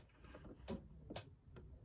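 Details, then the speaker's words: 2006 Swift Challenger caravan gas water heater on gas, thermostat dial turned: a few soft clicks and a brief puff as the gas valve closes and the burner goes out, then ignition and reopening; normal operation. "the gas valve oh closed that's the ignition the gas valve opening back up again"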